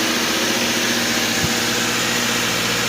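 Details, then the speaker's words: Subaru with a replacement low-mile warrantied engine, first startup after priming the oil filter and fuel: steady, even idle hum with no knocking or ticking. The engine sounds healthy and smooth. "no knocking sounds a lot better once it idles down here"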